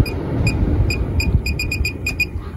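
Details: MaxxFan 5100K roof vent fan in a bus RV conversion roof hatch: crisp high control beeps, about a dozen over three seconds, each stepping the fan speed down toward its quietest setting over a faint low motor whir.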